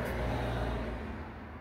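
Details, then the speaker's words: VW Mk4 Golf/Jetta 1.8T (AGU, drive-by-cable), new throttle body fitted, ignition on before starting: low steady electric buzz that then fades as the throttle body adapts its positions; normal. "with the throttle body in place before you start it up just turn it on with the throttle body uh buzz a bit to try and learn what it needs to you could definitely hear it buzzing"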